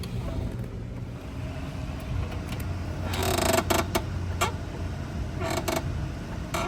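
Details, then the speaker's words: Honda S2000 idling after a recent clutch job: sharp creaks in short bursts as the springy, hard clutch pedal moves, felt through the car, predicted dry release bearing slide; clutch release bearing creak. "It's got a really feely, creaky, yucky pedal. Let me get you some audio clip right here. And it feels like springy."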